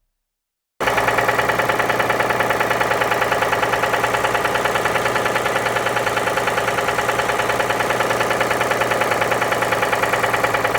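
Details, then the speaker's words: Ford Edge idling after diagnosis found timing out of sync (timing test confirmed); loud, hard metal-on-metal knock about three blows a second, pointing to internal damage; engine bought as seized/"fundido", disassembly recommended. "Fizemos o diagnóstico desse carro, entendemos que ele tava fora de sincronismo, fizemos o teste de sincronismo dele, realmente ele tava fora, mas esse carro tinha um barulho, um ruído muito forte de metal, metal."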